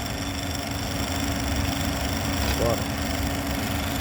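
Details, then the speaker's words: Small CO2 refrigeration rack, vacuum pump evacuating after drier cartridge replacement, valve closed as a test with no separate vacuum gauge: steady, unchanging drone and low hum holding the same pitch, meaning the vacuum is good. "moi ce que je fais je ferme je ferme ma et normalement le bruit de la pompe à vide restera toujours le même"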